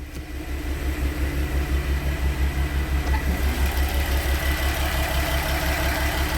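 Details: Porsche Cayenne VR6 after fixing vibration and unstable idle, warmed up (coolant 90°C, oil 78°C, oil pressure 1.9 bar): even steady idle with a regular low pulse around three beats a second, no misses, knocks or hunting; healthy.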